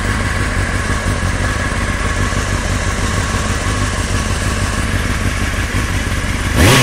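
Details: Honda CBR600FM motorcycle idling with a dodgy, uneven knocking clatter beneath the exhaust, then a quick rev at the end; engine knocking noise.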